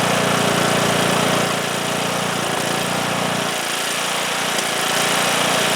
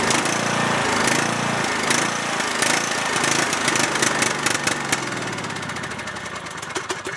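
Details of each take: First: Cub Cadet lawn tractor, single-cylinder Kohler Courage engine that stalled after 30 seconds, after new fuel lines, fuel filter and fresh gas fixed a tank-side blockage: steady even beat with no surging or dying off; runs clean. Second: Cub Cadet lawn tractor, single-cylinder Kohler Courage engine, runs about 30 seconds then struggles: uneven chugging with irregular firing, note sagging and fading as if starving; stalls, dirty carburetor or bad gas suspected.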